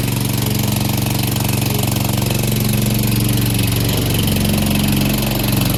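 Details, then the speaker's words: Free Cub Cadet push mower (probably MTD, Powermore engine) after carburetor cleaning and wheel repair: steady, even single-cylinder putter with constant low drone, no misses or knocks; normal running. "Brought it back, cleaned the carburetor, fixed the wheels, so now the self-propulsion works."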